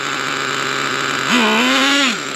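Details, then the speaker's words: Traxxas T-Maxx nitro RC engine started cold with rich needle settings: burbling idle, blip rises and falls sluggishly, loading up with oil; rich running when cold, needs temperature. "just loading up with oil cold just needs that [Music] temp"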